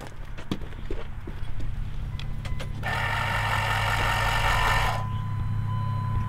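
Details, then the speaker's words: Cummins street truck build with new AirDog lift pump feeding a VP44, batteries just connected, key on, engine off (not yet running): quiet even whir about two seconds then stops; healthy, very quiet lift-pump priming. "But we did hook up the batteries, and I just turned the key, and man, this thing is so quiet. Listen to this thing, Mike."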